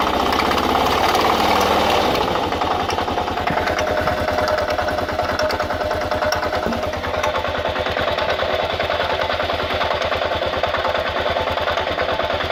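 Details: 2000 Kawasaki KLR650, about 41,000–45,000 miles, clutch plates replaced about 1,000 miles earlier, doohickey reportedly done, started 15–30 minutes before: fast, even clacking about three per second with a gritty edge at idle, top-end noise of unknown cause.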